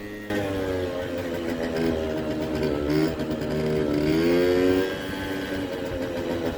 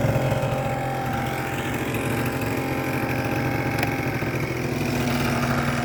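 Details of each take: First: Kymco 50cc two-stroke scooter (original 39mm piston, Koso 89mm variator with 8g rollers) idles buzzy and surges and sags unevenly with a dead mid-range, then suddenly pulls; owner suspected fuel or carburetor, later suspects a leaking cracked block. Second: Hot 50cc two-stroke scooter at idle, original airbox refitted, original 39 mm piston, Koso variator, repainted exhaust: a smooth, even buzzing idle with no knocks or rattles, bearing sounding good, little vibration; normal idle.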